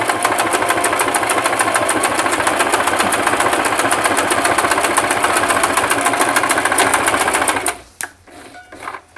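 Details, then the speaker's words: Singer Simple 3232 (also called 3252) sewing machine sewing a narrow zigzag at stitch width 2 with backstitch: fast, even clatter at a steady pace, then a clean stop; no catching or knocking; running smoothly. "taking my presser foot lower it very gently start my stitch same thing applies with the zigzag you want to move back"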